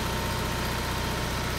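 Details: Onan 5CCK 5000 W generator feeding the house through a transfer switch, about 1000–1400 W load from two refrigerators and other loads before the 3-ton AC starts; steady even drone, no misses, surging or knocks; holding speed smoothly.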